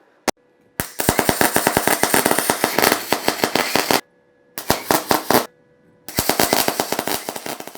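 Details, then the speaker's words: Beginner MIG/MAG welding on a basic machine: loud rapid crackling bursts like gunfire, stopping and restarting with each bead, an unstable popping arc; voltage suspected too low or wire speed too high, not confirmed. "i think the problem is that voltage is too low or the wire speed is too high so at least that's what came the closest to the sound i was hearing"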